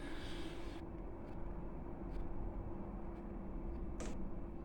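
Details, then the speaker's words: Chinese 12 V diesel heater running on a borrowed replacement motherboard, after E-3/E-6 errors caused by a damaged board: faint sharp ticks about once a second over a low hum. This is the fuel pump ticking normally at startup. "yeah that's that's gonna be fine that's gonna be fine there that's how it normally stands"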